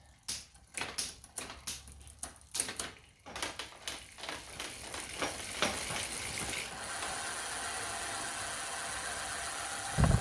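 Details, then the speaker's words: Next Avalon 26-inch hybrid fitness bike after restoration: cleaned, fresh grease, new cables and gear adjustment. Rear wheel spin test gives rapid, even pawl ticks blurring into a smooth whir. The drivetrain runs freely and sounds healthy. "so the gears are working pretty well so now we're going to do our spin test"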